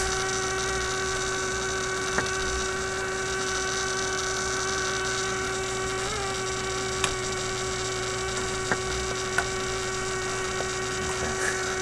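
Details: Constant low buzzy hum with occasional clicks from a 1967 Heathkit Electronic Projects Kit AM transmitter build; the noise continued with the circuit disconnected, so the bench power supply itself was putting out the hum; fix is running from a 9 V battery.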